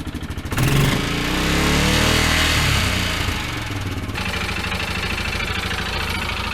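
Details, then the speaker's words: 2016 Yamaha Wolverine 708 engine, suspected run out of oil, about two quarts added to bring level up, revved: rough clattery top-end noise over exhaust; camshaft damage suspected, not confirmed. "I think we got to tear apart the top of the engine to me it sounds like something in the top I wonder if the camshaft's just completely eaten or something"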